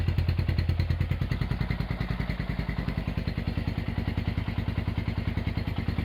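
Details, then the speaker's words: Honda GL100 (GLK 100) engine after restoration with a new tensioner and CDI fitted, idle raised: a steady even thump of about three beats a second with no knocks or clatter. A normal idle. "Oke, itu dia hasil E peremajaan mesin Honda GL 100 CDA ya dari Palembang."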